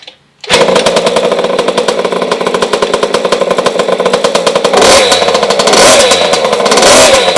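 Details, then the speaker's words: 50cc two-stroke kids' mini motocross bike after kickstart: loud, shrill, crackly note revving freely and evenly with no knocks, racing-bike sound; normal healthy two-stroke running. "Two stroke ni kita start pakai kaki, dan juga kalau dengar bunyi dia, two stroke ni agak kuat, agak bingit. So macam dia macam motor racing bunyi dia."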